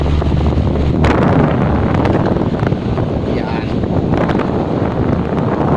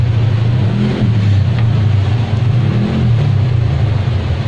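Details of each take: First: Electric fan that only hummed and would not spin, after its seized motor was cleaned and freed, running on speed 1: strong, steady rush of air with no hum, scrape or labouring; fan spinning freely. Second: Electric fan that will not spin: steady low mains hum with no blade whoosh; motor energised but stalled, shaft likely stuck in a dry or worn bushing needing replacement.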